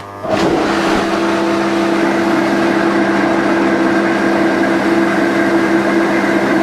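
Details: Inflatable hot tub being set up after winter storage, hydro jets switched on: a steady, even whooshing hum holds one pitch with no surging or rattles; the jet blower runs normally.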